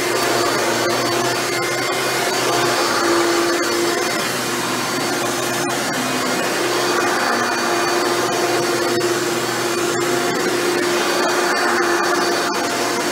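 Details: Hoover Elite upright vacuum test run after motor rebuild with new motor bearings: smooth steady high whir holding one pitch, no grinding, squeal or wobble; runs much better than when acquired.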